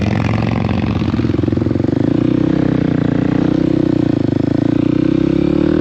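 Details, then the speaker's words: KOX 300 SM single-cylinder motorcycle ridden through upshifts and downshifts. Steady thump rises and eases with revs, with clean pitch changes and no clunks or grinding: smooth, normal gear shifting. "It sounds smooth, right?"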